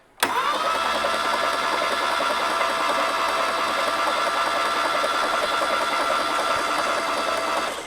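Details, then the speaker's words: 1960s VW Beetle 1500 air-cooled engine with 8,000 miles, unrun since 1973, cranked with spark plugs out to circulate oil after fixing a ground connection; steady starter whir with even rhythm, turns freely with compression; normal cranking. "try that again we have Turnage [Applause] I've got the compression let's run it a bit let some oil come around"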